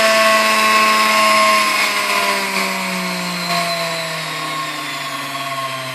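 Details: Fully restored Sunbeam Mixmaster Model 7B after slight adjustment: clean motor whir stepping smoothly down through the speeds, pitch falling evenly, no rattle, chatter or barking, so capacitor is good; runs sweetly.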